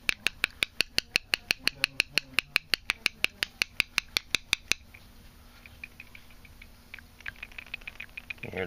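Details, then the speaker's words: Condensate drain check valve fitting removed from HVAC unit and tapped: about two dozen sharp, even ticks roughly five a second as the ball rattles freely; valve not stuck, not dirty, so line clog suspected elsewhere. "hear the ball valve, the balls in there moving."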